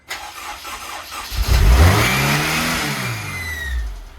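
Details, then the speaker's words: Honda S2000 with bored-out built engine and ARP head studs, first start after rebuild: engine revs up on its own with thin rising whistle of air sucking in; suspected vacuum/manifold leak, not confirmed. "There might be a vacuum leak somewhere. I'm glad I killed that shit. Yeah, good thing. Not good. Not bad, but not good. We have vacuum leak we need to find. There is a suck."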